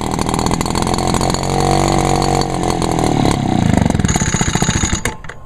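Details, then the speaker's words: Echo backpack leaf blower (two-stroke) at its first start of the season, after many pulls and uncertain choke position; it buzzes at speed, then sputters unevenly and cuts out after about five seconds. Owner suspects it is low on fuel; not confirmed. "it must not have enough gas that's probably the reason why it took so many pools to start"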